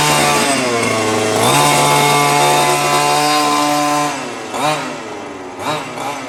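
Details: New HPI Baja 5T small two-stroke, first slow drive after ~30 s warm-up idle: buzzy engine revs up cleanly, holds steady, drops back and blips again, responding evenly. Running properly; idle slightly high, to be tuned after first tank or two.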